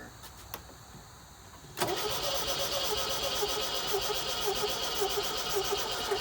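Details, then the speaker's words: 1973 MGB barn find, first start since around 1979–80, on ether: it catches into a lumpy, uneven loping idle. The owner thinks the carburettors need going through and the ignition timing set, and possibly mice are burning in the exhaust. "man this thing actually sounds pretty good so it's running like a little rock i'm sure the ignition timing has to be done"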